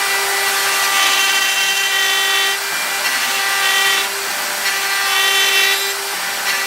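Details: Router milling out an upper receiver: steady high-pitched scream with a harsh rattly edge that comes and goes each pass; chatter because the end mill sticks too far out, even though it is supported by a bearing.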